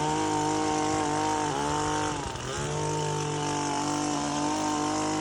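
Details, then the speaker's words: Power PRO24CCHTA 24cc petrol hedge trimmer after carburettor replacement, filters refitted and cutting hedge: clean steady two-stroke rev, dips briefly under load and recovers crisply. Running fine; the old carburettor had a blockage. "I've got a nice um running cleaned it up a little bit and just show you around the units it's working fine"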